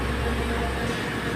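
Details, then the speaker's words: Espresso machine steam wand steaming milk in a pitcher, tip submerged deeper after hissing: smooth low rumble with no sharp hiss, milk heating quietly without adding foam; hissing signals foam creation, so this is normal steaming. "so when you hear the hissing sounds you need to submerge your picture so that uh you will have a good steaming"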